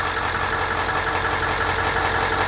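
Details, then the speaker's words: Bus with newly installed Jasper remanufactured engine, air filter box and front bumper off: steady, even idle with smooth low rumble, no knocks, ticks or misses, no dash lights; normal idle. "so let's start it and listen to it so right there as you can hear the engine is running"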